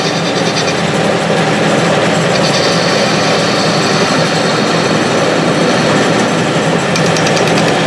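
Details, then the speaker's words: Restored Clausing 6930 metal lathe, newly fitted with a VFD, taking its first facing cut on power feed: steady, even cutting hiss over a smooth spindle hum, no chatter; cuts clean with hardly any vibration. "so let's do a facing cut I got one set up let's see here use the feed on that let's see if we're going in the right direction"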